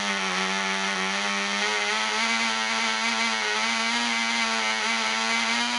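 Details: Black Widow mouse racer glow engine on its first test run: polished crank bearings, fitted cylinder/piston, high-compression head, 5x3 prop, 24% nitromethane, needle at three turns. A high, buzzy steady scream with a slight wavering burble; it is set rich for the early runs.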